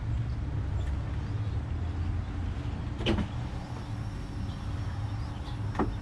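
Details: 1995 Jeep Cherokee XJ, first start in 6 months after storage and a starter replacement, cranked over right away: low steady rumble with even beat and brief handling clunks; normal smooth idle.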